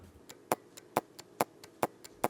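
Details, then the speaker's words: Orbit B-Hyve sprinkler valve solenoid bench-tested by tapping a battery across its two leads, with the mic moved closer. Crisp, loud paired clicks about two a second: a strong, known-good solenoid, normal click. "So, that was an example of a strong solenoid, one that we know is good."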